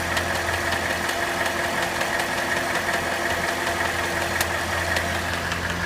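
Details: Cadillac Northstar 4.6 V8 at hot idle: faint, irregular ticking of roughly two or three clicks a second comes and goes over the hum; intermittent clicking only when hot, source undetermined.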